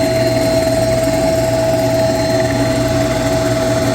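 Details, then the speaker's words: Chiller pump heard up close, running with a constant loud hum and a steady high-pitched tone on top, no speed change; noisy pump, bearings or fan not yet determined, being checked with a vibration analyzer. "you can hear how noisy this pump is but is it the bearings or is it just the fan well let's find out I'm using my vibration analyzer"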